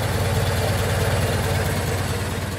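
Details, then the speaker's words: 1925 Ford Model T four-cylinder at completely closed-throttle idle after spark advanced; steady even putter with no misses or stumbles, much smoother than retarded — normal idle. "we advance the spark and you can hear the engine running much smoother and it should be quite happy with the engine completely idled like so"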